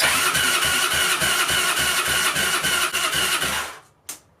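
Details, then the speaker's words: 2002 Yamaha Breeze 125 quad after an engine rebuild for a bent valve, with a new spark plug. Even starter churning at about 3.5 beats per second, never catching; not firing at all. Spark and fuel checks are planned. Crank, no start. "oh boy something's not right so what I think I might do is take out the spark plug and see if there's any spark cuz it's not firing at all"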